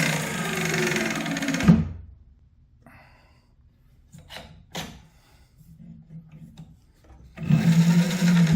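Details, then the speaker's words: 7x14 two-speed mini lathe after motor upgrade, gears reassembled with slight play: two short runs with a low hum and a light, uneven chatter from the belt or gears; the lathe runs fine with only minor gear chatter. "Run it. Run and clear. Ignore the chatter, that's the belt. Or that's the gear."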